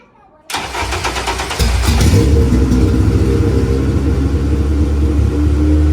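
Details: K-swapped Honda Civic race car, K-series engine's first start after install and new wiring on jumper box: cranks fast, catches, runs lumpy and uneven with wandering revs; a vacuum leak is blamed, and something else reportedly failed.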